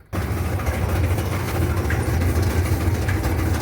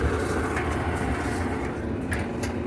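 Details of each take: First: Whirlpool/Kenmore gas clothes dryer making noise while the drum turns: a heavy, uneven low rumble, traced to a worn drum support roller. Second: Whirlpool gas clothes dryer after repair and reassembly: steady low drum rumble, even, no squeal or thump; one drum fin still missing, runs normally.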